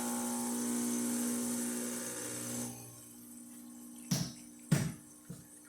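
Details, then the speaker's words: La Spaziale Dream T espresso machine after a full service and tune-up, using mineralized water for the level probe: steady buzzing pump hum holds evenly for a few seconds, then stops with a couple of clacks as the probe detects water; pump normal. "So now you can hear the pump kick on, and it should turn off in a minute or so. Alright, there. Now the pump's off, so that just means that the probe detected the water."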